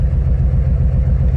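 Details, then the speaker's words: 2006 Nissan 350Z, cylinder balance test at idle: deep, lumpy, uneven pulsing idle with the engine shaking; cylinder 4 gives no rpm drop because it is not firing. Cylinder 5 coil was found unplugged and the cylinder 4 and 6 coil connectors were swapped. "vamos con el cuatro ejecutar este no Okay el cu no está trabajando las revoluciones se mantienen igual Okay no hay caída de revoluciones"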